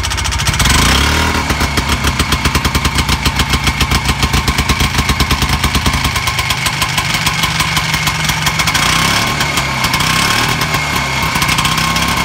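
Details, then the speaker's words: Harley golf cart two-stroke engine fitted with a small turbo-style aftermarket muffler. It pops along at a steady, even idle with a soft, low-toned exhaust note, noticeably quieter than before; runs clean. "i could tell it's quieter so here's with the the little turbo muffler that's what it sounds like it's kind of a low tone to it"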